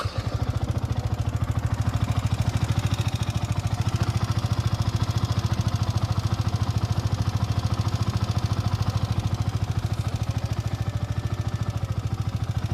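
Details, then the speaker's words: Yamaha R15 V4 motorcycle at 25,877 km, idling: a fast steady metallic clatter on each firing pulse. Showroom says it is the rocker arm, not yet confirmed. "हा असा आवाज येतोय तर मी कंपनीमध्ये दाखवलोय हे दाखवतो तुम्हाला इतक्या लवकर हा आवाज येतोय तर हा आवाज आहे रॉकरचा अस शोरूमवाले म्हणतात"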